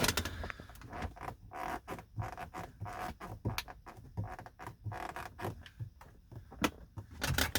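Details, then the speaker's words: 2011 Mercedes-Benz R350 interior: irregular plastic clicks and creaks each time the glove box is worked in a quiet cabin, called possibly the loudest glove box ever; glove box rattle and creak. "that may be the loudest glove box i've ever experienced"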